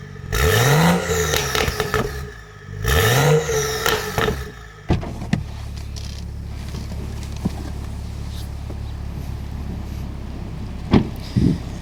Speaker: Now that's much better. Now we no longer have that embarrassing rattling sound, and you have full control over your exhaust valves again, and all in under a handful of minutes, hopefully less than 5.